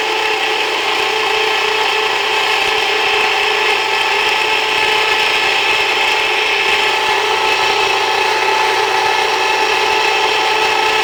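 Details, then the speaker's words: Jiffy Precision Mill electric steel burr grinder, started before adding grain, milling einkorn: loud, even, gritty grinding with a steady high ring and no falter; normal grain grinding. "If you don't turn it on before you start, you're gonna keep it from turning. It'll just jam up. So it's going to be a little noisy."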